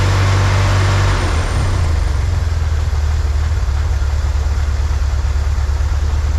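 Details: 1963 Corvair flat-six after vacuum leak fixed, new PCV valve: steady low burble with even beat, nothing odd on top, idle a touch high; "that's the sweet spot." Normal idle.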